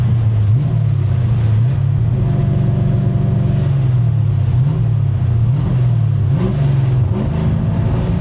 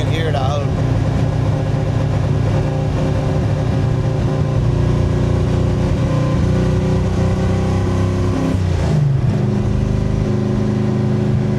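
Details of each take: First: 1965 Grey Ghost V8, running after clearing up: deep, even rumble rising and falling smoothly with throttle, no stumble; misfire typically only after sitting a few days, owner suspects a leaking carburetor or valve guide seal oiling the plug. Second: 1965 Grey Ghost V8 with Anderson N91 camshaft, driving: lumpy, stumbling beat with one cylinder dropping out; recurring misfire that keeps coming back, owner suspects a leaking cylinder or valve guide oiling and fouling a spark plug.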